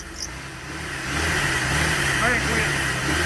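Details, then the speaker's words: Wife's project truck, first start since purchase after sitting an unknown time; engine catches and settles into a steady, even, smooth idle with no knocks or misses. Normal idle. "So y'all seen we got it to run and it runs damn good, damn smooth."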